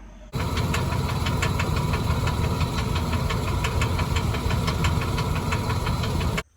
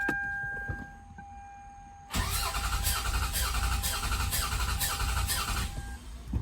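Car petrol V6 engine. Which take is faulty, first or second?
first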